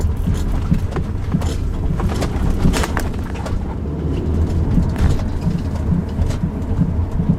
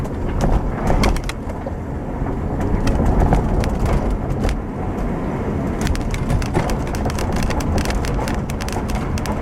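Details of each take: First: Recorded in the rear cabin of a 2007 Subaru Outback driven over bumpy roads: irregular dull knocks with faint squeaks over road rumble, caused by a left rear upper strut mount that had come apart; the mount was replaced. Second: Road test of 2007 Subaru Outback after replacing the failed left rear upper strut mount, microphone in the rear by the upper strut mount: steady road rumble, light interior ticks from a quarter panel piece, no clunks over bumps; suspension now quiet.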